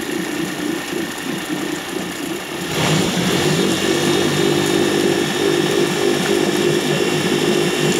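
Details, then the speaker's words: 2006 Suzuki DF50 three-cylinder outboard, 297 hours, running in water after a slight rise: even, steady hum with no knocks or misses; healthy smooth idle, though slight vibration earlier made the owner suspect a plug or not fully warm. "тихонечко работает как на такими водичка looker да ребят красота красота"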